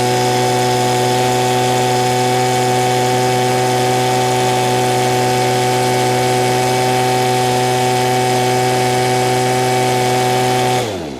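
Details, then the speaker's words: Two-stroke with no throttle lock: a high, perfectly steady buzz holding one pitch without wavering for ten seconds, then cutting off; running very well, so left alone. "Every new one would have a throttle lock."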